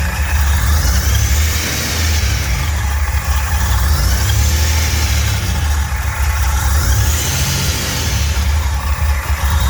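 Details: Fully built 3800 V6 race engine on its first start after the build: deep, steady exhaust note with an even beat, no misses or knocks, no smoke or leaks; normal, clean running.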